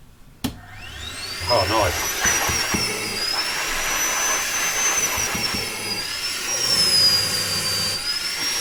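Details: Toyota Hilux (Australian model) secondary air injection pump, after a suction-filter fix for fault code P0418: rising whine settling into steady high hum like a mattress blower; pump running normally after repair.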